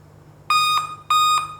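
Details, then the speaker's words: Dell laptop at power-on: repeating high beeps about a quarter second each with short gaps, continuing after the system is on. "यह देखिए guys जैसे system on हो गया है उसके बाद भी य वॉइस लगातार आ रही है"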